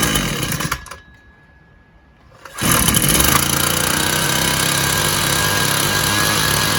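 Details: Husqvarna 122LK two-stroke trimmer after carburetor rebuild with new gasket: engine drops to near silence for over a second, then catches and roars back, still cutting out intermittently as if losing ignition; owner suspects two issues, not convinced it's fuel related.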